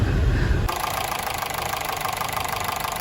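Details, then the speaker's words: Honda City with factory CNG, before repair, recorded at the exhaust, with severe engine shaking: constant heavy uneven thumping at idle, roughly 3–4 per second, for 3–4 days. It is a misfire; the gas system is suspected. "อาการเครื่องสั่นค่อนข้างหนักเลยคันนี้อืโยกเห็นได้ชัดเลยเดี๋ยวเราฟังเสียงท่อกันนิดนึงอือันนี้ก็ถือว่าแรงหนักหนักมากนะตุ๊บๆๆๆตลอดเวลานะครับ"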